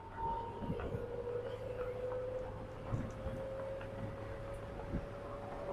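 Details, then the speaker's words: 2007 Pontiac Solstice GXP automatic, 117,000 miles, while driving: over road rumble, a thin steady whine rises with speed from the rear differential, which also leaks and is to be replaced. "Take a quick video with the drive so you can hear the whine of the rear differential."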